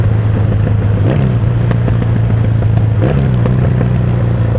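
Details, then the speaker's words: 1977 Yamaha XS650D with 1981 Special motor and short aftermarket mufflers, riding in town: steady twin drone with sharp irregular pops as revs drop; exhaust popping on overrun, owner plans longer Commando mufflers. "Probably get the Commando mufflers. All those pops."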